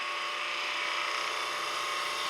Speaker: see those nice shavings we can get off there and we'll do the same thing going down this way isn't that just beautiful how those shavings come off